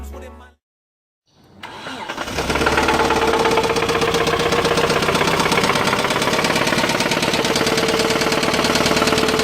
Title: mitsubishi mighty max mini truck rod knock